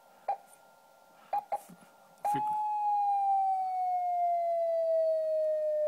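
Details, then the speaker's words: HamCan transceiver at first power-up, transmit about 2.5 kHz off nominal crystal frequency: keyed steady tone slides lower in pitch over several seconds instead of holding; transmit oscillator drifting severely. "frequency drifts pretty severely as it goes down in frequency"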